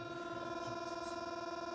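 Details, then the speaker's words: Saberforge lightsaber with Sabercore soundboard, muted, battery running low: steady electronic buzz with fast pulsing flutter and thin high tones; annoying hum appears as battery drops, despite little use since charging; full charge should resolve it. "It's kind of annoying when the battery is on low or starts to get lower, that it starts to make this kind of sounds, because it's really noticeable and it's actually quite annoying."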